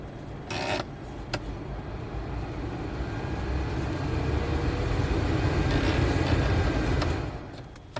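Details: Subaru Impreza after blower motor removed and refitted to cure a noise, ignition on, fan running; soft steady airflow hum swelling gently with no squeal or scraping, quiet blower motor.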